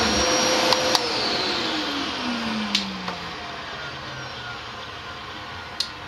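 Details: Dyson DC07 vacuum after clearing hair-clogged brush bar bearings that caused squealing (clutch was not the fault): steady, even motor rush with a smooth falling hum, no squeal or rubbing; healthy.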